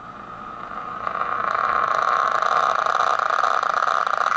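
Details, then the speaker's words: PT80 delay pedal recorded into a laptop mic input, level at maximum, time at 10 o'clock, after a cap was reinstalled. Turning up the repeats at all gives a steady piercing tone that swells and holds; runaway self-oscillation regardless of time or level. "I got the level all the way up, but as soon as I turn the repeats up any, it"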